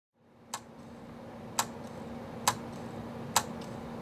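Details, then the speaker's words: Acer Aspire 5745 laptop hard drive, reportedly dropped two years ago: loud sharp clicks about once a second over faint hum, failing drive heads resetting; replaced with new SSHD. "maybe not the best sound that a hard drive can make that is some loud clicking so yeah this is a hard drive from a computer that I'm working on right now"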